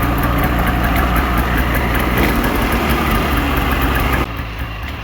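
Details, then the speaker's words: Polaris 550 fan-cooled two-stroke snowmobile after swapping a motor that was down a cylinder for a spare, fresh gas, cleaned carbs, plugs in: fast even idle burbling about four pulses a second, a little smoky; runs fine. "nice one yeah she's a little smoky but she's a runner runner oh yeah she smells good but uh so he's running good"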